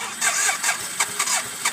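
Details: 1991 BMW K75S that ran yesterday, then died after about a minute idling on full choke: now quick, uneven cranking with a high-pitched whir, catching briefly then dying. The battery light is on; the owner wonders about a dead battery.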